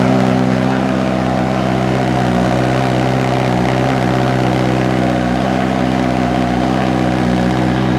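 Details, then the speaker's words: Honda Fireblade with exhaust servo delete mod, cold start in closed garage: deep, loud, steady idle with heavy booming drone, no knocks or rattles; owner finds exhaust too droning and returns servo to stock. "So it just drones a little bit. So we're going to go back to standard. It'll still make plenty of noise once you get past that 6,500 RPM mark."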